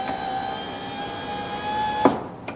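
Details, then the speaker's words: 2000 C5 Corvette driver window after regulator and motor replacement: steady motor whir as the window travels, smooth with no grinding, clean stop at auto-down; regulator working properly. "and it stopped where it should and it didn't grind there's no auto up"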